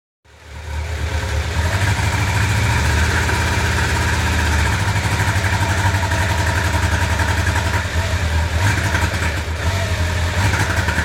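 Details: 1995 Honda CB750 Nighthawk inline-four idling unevenly with a lumpy, stumbling beat. Cylinder #4 is misfiring because its carburetor jet is clogged.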